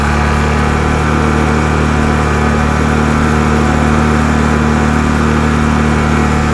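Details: Piaggio Vespa 50 LX two-stroke after restoration and new spark plug: steady even idle with smooth buzzing beat, no misses or surging; mixture may need slight tuning but idle good.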